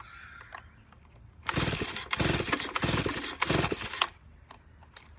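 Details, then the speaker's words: Neglected, dirt-caked Stihl BG55 leaf blower with a busted primer bulb and crumbling air filter: recoil pulls crank it but it never fires. Owner suspects the carburetor needs cleaning. "yep okay will not start it's easy to see why it was left"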